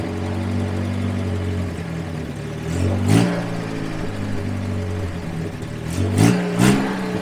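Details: 1954 Willys military Jeep dragged home, filled with coolant and oil, first fire-up: low, even four-cylinder idle with two quick throttle blips that rise and settle cleanly. Healthy, steady engine; normal idle.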